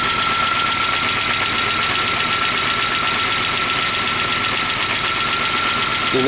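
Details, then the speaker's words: Long-dormant Audi turbo idling after revival: fast light ticking over a lumpy idle, lifters not pumped up with oil in 10 years and cylinder one dead from a failed injector; no leaks seen. "I don't see any leaks so far nothing's dripping and we know number one is not firing the injector suck and that taking the lifters are haven't been pumped up with oil in 10 years so we'll let it run for a little bit"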